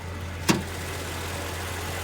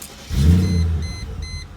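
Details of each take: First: 1999 Mercedes SL500 V8 petrol, 171,000 miles, at idle: steady, even low hum, runs pretty smooth with no knocks; owner notes a very tiny misfire when cold and purge valve clicking. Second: 1999 Mercedes SL500 starting and idling with an aftermarket Flowmaster muffler: deep, booming low rumble, much louder than stock, likened to a dragster or Chevy 350; loud aftermarket muffler exhaust note.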